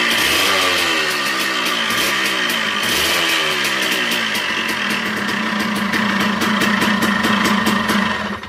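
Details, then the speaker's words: Suzuki Satria 120R two-stroke, rough engine complaint: crackly revs rising and falling unevenly with a harsh rattle on the revs; mechanic suspects the connecting rod, cause not confirmed before teardown. "Satria ini ya motor ini kendalanya kasar bosku suara mesinnya kasar"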